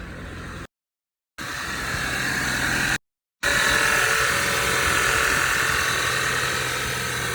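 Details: 2013 Audi 2.0 TFSI gen2, Revo Stage 1, 150,000 km, cold start, engine cover removed; cold idle with quick fairly even light knocking near four beats per second over engine hum; owner suspects piston pin but unsure, source unconfirmed.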